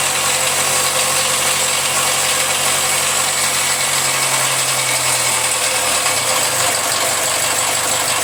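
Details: Jaguar F-Pace 204DTD diesel, self-rebuilt with used polished crank, engine mount just connected: loud harsh idle, coarse hiss and uneven clatter over the beat; rough, owner unsure if normal, suspects exhaust blowing or needs warming up.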